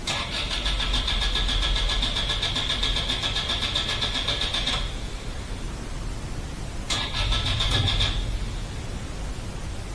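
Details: Toyota Altezza engine, after a broken manifold bolt and fuel leaks: the starter turns it over in quick even beats, about four a second, in two attempts, but it never catches; crank, no start.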